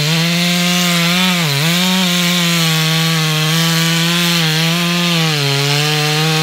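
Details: Stock MS461 with eBay ported muffler, well worn, over a year of cutting; hand round-filed chain used a week, no touch-ups; felling cut in big northeastern red oak, camera a ways back. Steady high note holding speed, brief dips, no chatter: sharp chain cutting normally.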